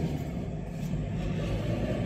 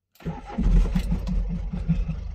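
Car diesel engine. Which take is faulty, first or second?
second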